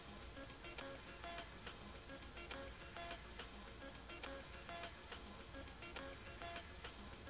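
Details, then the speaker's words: Record player with a worn, filed-down stylus tip: quiet music jumps back on itself about every two seconds with a pop each time, skipping away from the label instead of towards it. "you hear that popping noise it's skipping away from the label instead of towards the label"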